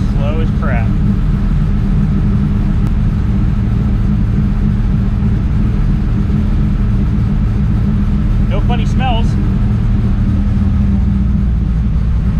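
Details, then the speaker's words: Third-gen Trans Am (KITT) V8 woken after months in storage, fuel pump primed and coil reconnected: deep, even rumble holding steady with no knocks, ticks or misses; engine runs clean. "let me play you the song of my people that sounds fantastic car runs"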